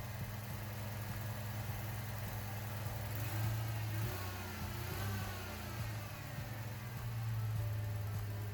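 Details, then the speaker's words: Ford Mustang with a cylinder 1 misfire, flashing check engine light and power loss, after a new spark plug (compression 170 psi): the idle still stumbles with dropped pulses. The fault was later traced to a bad ignition coil pack. "Well, it looks like that didn't solve our problem, so we're going to continue looking."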